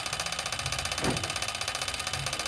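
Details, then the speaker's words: Toyota Hilux 1KD-FTV with newly installed variable-nozzle turbo, key on, engine off; fast even buzzing pulse with brief whoosh as the electronic stepper-motor vane actuator cycles; normal, no need to replace turbo. "is your actuator for your turbo right it tends to make noise I'm letting you know that as normal right so don't go and change your turbo because of that noise that you're in"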